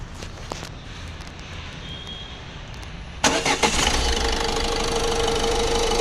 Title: ecosport engine noise